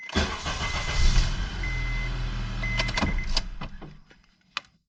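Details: 2006 Honda Accord 2.4 four-cylinder, final test after replacing the ignition switch (it previously wouldn't start): the starter catches at once, a steady even idle for a few seconds, then a clean shut-off; a normal, healthy start.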